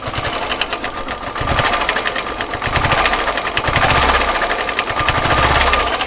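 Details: Royal Enfield Classic 350 at idle, 17,334 km: fast metallic ticking over the slow single-cylinder thump, a tappet-like noise from the timing gear and camshaft.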